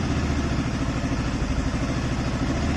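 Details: Yamaha FZS V3 single-cylinder motorcycle that intermittently failed to start and cut out: the ignition key set gave no output to the fuel pump line and was replaced. Now a steady low putter with even pulses, no knocks or misses; normal idle.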